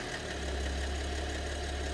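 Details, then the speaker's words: BMW 730d with M57 (306D3) diesel at idle, mysterious engine knock: light ticking tapping comes and goes over the rumble. Owner suspects a problem possibly in two cylinders; source not pinned down. "Вот цокот появляется. Может, с двумя цилиндрами даже проблема."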